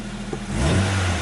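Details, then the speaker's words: 1992 Nissan NX 1.6 L fuel-injected manual after fixing a no-crank fault: idles evenly, then revs up cleanly with a quick rise and settle, no misses or knocks. "there's like one point six liters of fuel injected fury right here boys"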